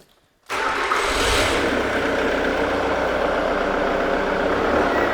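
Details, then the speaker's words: Jaguar X-Type diesel with fuel pressure fault, IMV regulator fed by temporary jumper lead from fuse box bypassing faulty wiring: catches at once and settles into an even idle; normal start and idle. "as you should be able to hear there the car is running or the engine is running properly now"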